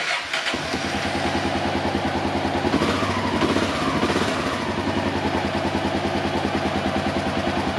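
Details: Honda XR650L single that had quit and would crank but not fire after a breakdown in 100+ degree heat, after CDI box replacement: short crank, then it catches and settles into a steady, even thump with no misses; it starts and runs cleanly.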